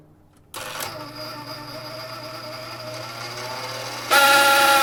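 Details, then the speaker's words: Hammond M101 organ tone generator, unplayed for many years, started in garage: steady low hum with thin mechanical rattle; sounds like a bad bearing. "that sounds like a bad bearing not good all right let's see what more oil will do but that's not good"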